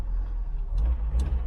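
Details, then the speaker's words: Mk3 Ford Cortina GXL 4-door, cold start on choke after a system flush; steady, low, slightly lumpy idle with an even beat and no knocks or ticks; still warming up and expected to smooth out; running well. "so we've got that cut that engine's running pretty good it's a little bit lumpy when it's first cold i think it's going to get better and better"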